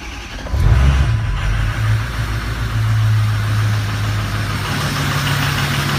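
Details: 2005 diesel truck with 115,000 miles, first start after a head gasket/stud job, no coolant: brief crank, fires, flares, then settles to a steady, low, even idle with no knocks or misses.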